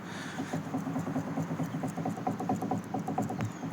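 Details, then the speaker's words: VAZ 2107 with Trek steering linkage set fitted, knocking after about 3,000 km: quiet dull even clicks, about eight per second, as linkage is rocked by hand, worn center tie rod. "А вот средняя часть стучит. Вот так."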